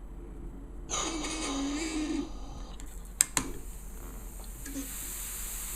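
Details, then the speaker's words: Spyder Electra paintball marker, gassed up after cocking: sharp cocking clack, then thin steady high hiss of gas leaking between regulator adjuster and regulator body. "and if you cock the gun, you can hear that there's a leak coming out right here. You can hear the differences."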